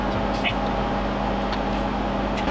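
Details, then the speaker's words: Lenovo SR650 rack server with two fanless Nvidia Tesla K80 cards installed: steady, loud rushing roar with low hum and faint whine as fans run at full speed after boot, expected to slow down later. "Yeah, now it's noisy. It will go down again when it figures out that it's not necessary to be this noisy, but it will be there just a little bit and then go down again."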